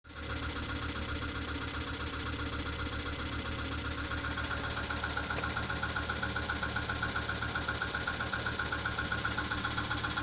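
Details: Audi 80 2.3 five-cylinder (NG engine) at idle: loud sharp regular knock, about four a second, that appeared suddenly; engine knock, cause unknown.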